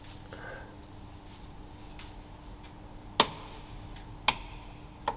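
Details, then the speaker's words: BMW E46 coolant leak: sharp single ticks about a second apart over a faint hum as coolant drips from the weak plastic drain plug, dripping faster; temporary PTFE tape fix stopped it. "i wish it stopped dripping because i'll tell you what it would be no it's got faster she's making a beat on the on the bottom"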